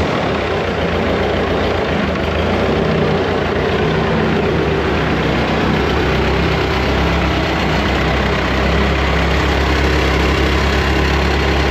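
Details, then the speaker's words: Woodmizer LT70 sawmill, Caterpillar-badged Perkins 2.2 four-cylinder diesel, sat for years, first start after bleeding old fuel. Deep, steady rumble at an even idle with no misses; running good, normal idle. "all right she's running good"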